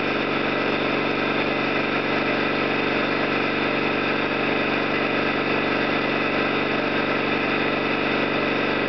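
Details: Orlík 2 JSK 75-2 compressor at one of its first starts after the owner's rebuild of concentric valves and seals, motor provisionally run in star for the house breaker; steady even thrum at constant speed, no knocks or irregular beats; normal running.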